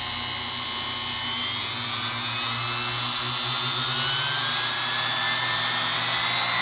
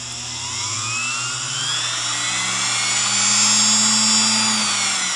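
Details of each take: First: Singer PA-style sewing machine motor from a model 600, after deliberately oiling inside and cleaning with Krud Kutter degreaser: smooth high-pitched whir climbing steadily to full speed, no rattle or grinding; motor runs cleanly. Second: Singer PA-style model 600 sewing machine motor soaked with about 40–50 drops of oil: thin, high whine climbs then holds steady as it restarts and keeps running despite contamination.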